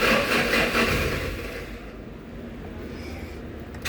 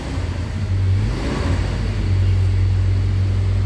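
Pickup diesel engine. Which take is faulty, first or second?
first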